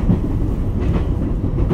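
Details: Onboard the JR 223 series train, set W17, on the Osaka 17:08 to Kyoto 17:52 run on 13 Sep 2018, stopping at every station from Takatsuki: a heavy low rumble with repeated thumps, an abnormal wheel-flat sound.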